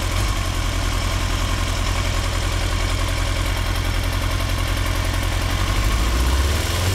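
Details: 2003 Yamaha R6, 35,000 miles, Yoshimura exhaust and BMC filter, idle around 1350 rpm lumps like a V-twin, worst at 2–3k rpm, revs jump randomly; misfire from failing ignition coils, problem since fixed.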